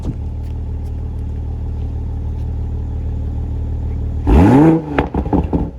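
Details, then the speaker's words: 2020 Toyota Supra (salvage rebuild) in sport mode with exhaust valves open: steady low idle, then a sharp rev falling off into crackles and pops, a healthy sporty pop-and-rumble exhaust note. "this man this thing sounds so good it has that pop and rumble it kind of sounds like the f-type r the f-type power pops just like it"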